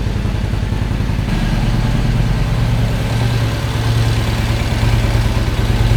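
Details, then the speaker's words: Excelsior-Henderson V-twin with H5 cams and high-compression pistons, after fitting a high-output fuel pump: steady low, even beat with no misses or knocks under music; sounds like it did with the original pump, running normally. "I mean, so far so good right now. It sounds like it's supposed to sounds like the original pump, but uh yeah, I don't know. Seems like it's fine to me."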